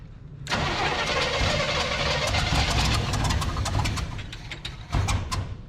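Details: 1973 big-block Chevrolet C10 that sat for a year or more, cranking: ragged, uneven, weak attempts to fire for about five seconds that never catch, and exhaust is shooting out of one side.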